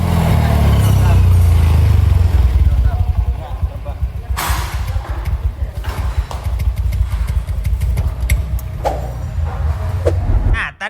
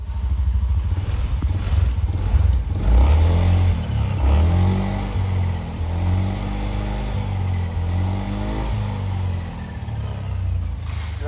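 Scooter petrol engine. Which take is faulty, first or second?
first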